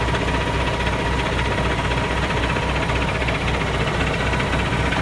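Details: Paccar MX heavy diesel after hand-priming the fuel system: keeps cranking with a low, uneven chug, roughly two beats a second, without catching cleanly; hard start with extended cranking.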